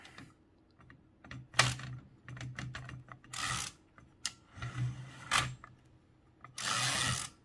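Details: Toshiba BW-3112 Japanese kanji typewriter during restoration: crisp, separate clacks and short ratcheting runs with quiet gaps between strokes; the type mechanism cycles cleanly. Normal typewriter mechanism operation.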